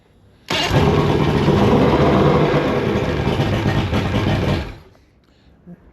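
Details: Mercury 2.5L EFI outboard with hot soak no-start, motor heated to replicate: engine catches and runs roughly with uneven chug near four beats a second then dies; hard hot start, flooding.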